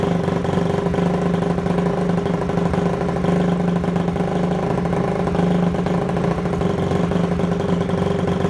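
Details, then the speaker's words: Honda CRF250 just reassembled, warm after choked start: single runs rough, revs sagging and stumbling instead of holding idle; owner suspects too little fuel though it smells like flooding, carburetor possibly needing adjustment. "after she's warm she's a little bit of trouble like to do and not get enough gas or too much gas I'm pretty sure it's not enough but it also smells like it's flooding"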